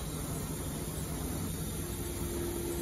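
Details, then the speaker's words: Haas VF-0E with 20 hp vector drive, after drive repair and tightening a loose spindle belt: spindle at 1000 rpm, no load, steady even hum without knocking, whining or grinding; normal spindle running. "and now we run it the same as before we just start it off at a thousand nice and quiet with no load"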